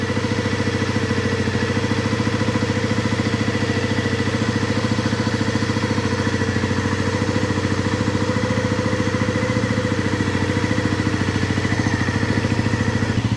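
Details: 1997 Honda CB50V Dream 50 (AC15) DOHC four-valve 50cc single, revived after about 15 years sitting, on stock ignition: steady, even putter at idle that settles in, no valve-train ticking from the top end; healthy, quiet idle.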